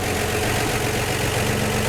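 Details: 1949 Chevy 3100 with 1954 235 inline-six, after replacing leaky exhaust donut at front Fenton cast-iron header: even, steady low idle with no ticking or puffing at manifold; sealed, normal idle.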